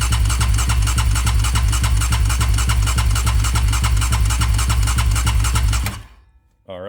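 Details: Rebuilt Raptor 700 ATV engine, 740cc Trail Monster new build, cranked with fuel disabled to prime the oil system. Even starter cranking at about 3.5 chugs per second for six seconds with no firing; no oil flow yet; cranks, no start.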